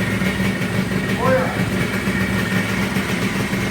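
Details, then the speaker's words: Freshly rebuilt Yamaha RXZ 135 two-stroke just started (new bottom-end bearings and seals, cylinder bored to 59.5), no throttle given yet: even idle with a steady beat, no bottom-end knock or rattle; healthy. "arkadaşlar motor yeni yapıldığı için gaz vermeyin diyor daha yeni çalıştırmış"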